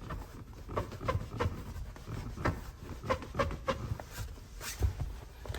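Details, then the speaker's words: Kia Rio X-Line front seat: short rubbery creaks and squeaks each time the side bolster is pressed, foam rubbing on the metal frame; fixed under warranty by the dealer. "соответственно если вот сюда давить это место играет и опять же происходит этот скрип здесь то же самое и здесь"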